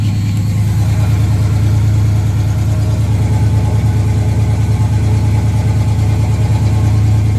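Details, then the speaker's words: 1976 Camaro, rebuilt Holley four-barrel with a new electric choke, cold: a steady, fast, even idle that stays raised for about 2–3 minutes. It happens even at 70–75°F. Owner suspects the choke idle screw is too high and plans to turn it down at least one full turn. "it usually takes two almost three minutes until it's at normal idle in operating temperature"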